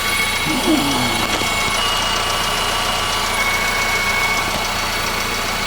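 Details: 2015 Honda Civic 1.8 petrol, 73,000 miles, Texas car, idling just after an oil change done about 2,000 miles after the previous one. Steady quiet idle with an even hum and faint belt whine, no misses or knocks, no leaks. Normal idle.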